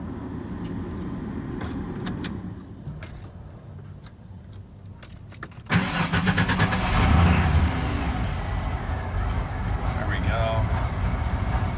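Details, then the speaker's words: 1994 Ford F-150 4.9L straight six, 5-speed manual, just after a cold start idles with an uneven loping beat for about a minute before smoothing out; a recurring cold-only rough idle, fixed by replacing the idle air control valve. "final it should smooth out here in another 10 seconds 15 seconds and this is what it's been doing most of the time we've started it recently"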